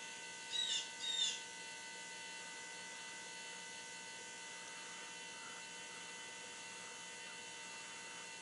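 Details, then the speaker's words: Semi truck after an oil and filter change, key on with the engine off to prime the fuel filter: faint, steady electric hum of the fuel pump with birds in the background. Normal fuel pump priming. "we just got a prime to fuel filter just turn the key on let it sit on for a little bit"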